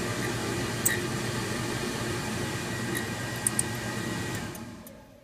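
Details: Furnace blower (90% efficiency, not very old, apparently sealed with no oil port) with steady airflow whoosh and a thin constant high whistle/squeal that has been getting louder; owner wonders if blower must be replaced.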